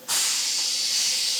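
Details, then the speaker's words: Air brake test on a CAT 3406B Kenworth K100 cabover that hadn't driven in 25 years: with one side charged a leak hiss is audible, then a sharp steady hiss as the brake pedal is pushed, brakes applying normally. "okay so that side is charged you can hear it leaking now push the brake pedal yep it's working right"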